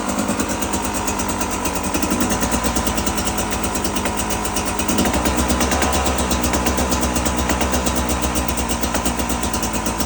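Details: Brand-new 2022 Beta 300RR two-stroke with about 10 minutes of use: rapid crisp clapping knocks over a lumpy idle, present only at initial revs, not at low or high rpm; cause unknown.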